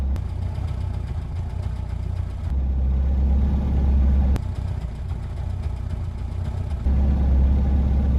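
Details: Reliant Robin three-wheeler idling after return from the garage: low, lumpy idle with wandering, surging beat, though described as idling much better than before.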